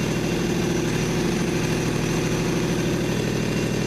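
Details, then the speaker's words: Toro Wheel Horse 520LXi after a transmission install, test run with 6 quarts of oil and the fuel tank loosely placed. It fired after a couple of cranks into a steady, even, low rumble with no knocks or misses: normal idle. "Actually, it fired right up. I was a little bit surprised."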